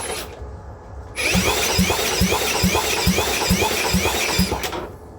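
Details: Cub Cadet mower, no exhaust fitted, fuel added and battery charged: even cranking thumps a little over two per second with no catch or firing; spark confirmed present, more fuel suspected needed; cranks but won't start.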